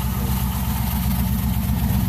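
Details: Car "Suzie" idling with a low, steady, even rumble, no knocks or skips, after a new starter was fitted and it was started off a weak battery. Owner says it sounds like a roller cam. It started right away; normal idle.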